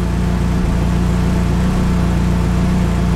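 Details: Small clutch-equipped engine that had no compression, now running: steady, even low drone at idle with smooth firing and no knocks, misses or surging; engine idling healthy.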